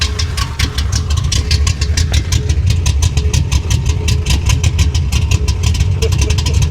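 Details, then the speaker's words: 1966 Impala big-cam V8 about 560hp, warm but not fully hot, choke mostly closed; deep strong loping chop at idle about seven pulses a second, normal lopey cam idle. "Did you hear that? >> Yeah. Oh man. She sounds amazing."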